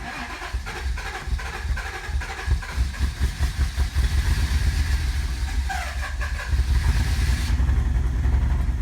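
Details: 1988 Acura Legend, sitting 10 years, with a used ECU and new fuel pump: long rhythmic cranking, cylinders catching unevenly, then it stumbles into a rough run on its first start in a decade.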